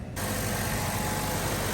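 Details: 2013 Chevrolet Cruze after replacing the suspected original belt tensioner to cure a loud ticking, AC off: a smooth, even idle with a steady low rumble and no squeal or ticking; normal idle.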